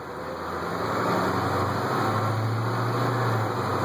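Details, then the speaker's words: 1989 Chevrolet Thomas bus with 8.2 Detroit diesel, driven one lap: deep diesel drone building gently as it pulls away and holding steady, no knocks or misses. Normal running. "You listen to that 8-2 Detroit. I'll swing around here. There you go. Yep, listen to her purr."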